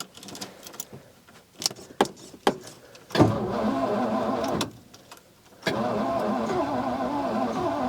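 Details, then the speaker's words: Old carbureted vehicle cold-started outdoors after a -2° night, choke shut, in neutral, gas poured into the carburetor: sluggish cranking, catches, dies and refires; fuel not picking up from the tank, broken vacuum hose found. "I'm out of fuel. Okay, before we kill it, let me get a little more gas."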